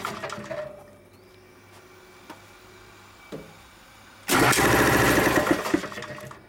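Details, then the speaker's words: 30-year-old Dayton shop air compressor, 7.5 hp 240V single-phase motor: quiet, then a sudden harsh crackling buzz for two seconds as the motor kicks in; sounds like arcing, location unknown, no visible sparks. "definitely sounds like a zapping noise so it's an arc"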